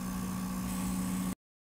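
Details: PS5 recorded with a sensitive mic at the vent slots, audio heavily amplified: steady fan hum, with a thin high whine coming in as load rises. Coil whine seems to appear when graphics load and more power is demanded.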